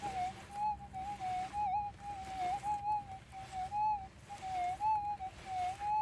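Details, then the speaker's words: Minelab GPZ 7000 in manual ground balance mode over a small gold nugget. A warbly tone near 800 Hz dips clearly about once a second over quiet hiss: a strong target signal, heard better than in auto mode. "I could say that I can hear that better. Yeah, definitely better than in the auto mode."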